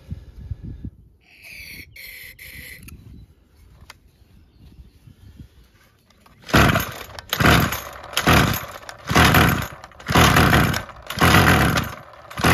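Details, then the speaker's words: Craftsman 27cc string trimmer 316.711170 with a replaced recoil assembly: about one sharp pull-start burst per second, with the engine popping each time, showing the original ignition coil still gives spark. "okay so we really lucked out I was really taking the gamble that the coil was still good uh it sounds like we're good there"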